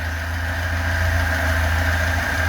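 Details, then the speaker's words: Lada 2104 carbureted engine idling on fuel dumped into the carburetor; steady even low rumble with a faint high tone, no misses or knocks. Owner thinks it runs slightly rich from the dumped fuel and blames a bad fuel pump. "okay she's running really good I can't believe it I think I didn't need to pull the chalk close the truck all the way but she's running good"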